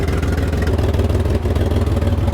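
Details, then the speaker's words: Chevrolet Camaro: with fuel pump relay reinstalled, fuel pressure climbs and the idle turns uneven and lumpy, sagging and recovering as if flooding; rough idle from excessive fuel pressure, running rich. "fuel pressure goes up it starts stumbling it sounds like it's getting flooded"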